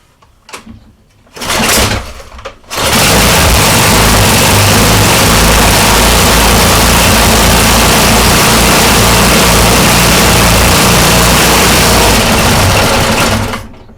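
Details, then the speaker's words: Older self-propelled Snapper push mower after the carburetor was cleaned of water, the jets cleared, the gas tank flushed of water and dirt, a new plug and an oil change: it catches after a couple of pulls and holds a steady, even buzz; running normally. "there you go. Final product. Got it running. Old snapper."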